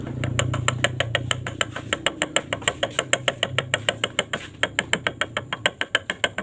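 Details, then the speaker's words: Yamaha Vega ZR motorcycle, engine disassembled: connecting rod end tapped and rocked by hand gives sharp metallic clacks about three per second; big-end play confirms a worn rod, a cause of rough knocking noise. "pengecekan stang seher yang kalah itu sangat simpel Ya tinggal kita ketuk aja bagian ujung sini ya seperti ini dia nanti akan timbul suara"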